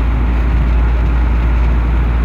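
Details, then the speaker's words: Deep, steady rumble underneath a 300ZX cruising around 60–65 mph, with a misfire also present and no knock; owner suspects mid-shaft carrier bearing and universal joint/driveshaft trouble. Cause unconfirmed. "I got a thing I got a universal joint problems and driveshaft and high risk of swinging the shaft"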